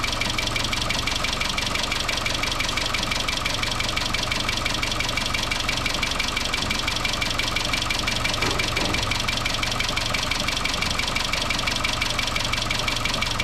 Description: 2013 Chevrolet Cruze 1.4 Turbo engine rattle caused by loss of oil pressure in valve lifters oil galleries due to loose timing chain upper guide.